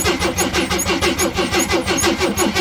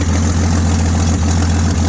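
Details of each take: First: 1979 AMC Jeep J10 with 258 inline six, gas can fed directly to the fuel pump, third attempt: steady rhythmic cranking about three turns a second, never fires; no fuel picked up yet, owner suspects a vacuum leak. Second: 1979 AMC Jeep J10 258 inline six just started, choke coming off: low even rumble with steady beat, no misses, knocks or surging; runs clean with oil pressure, fuel line leaking, possibly not charging.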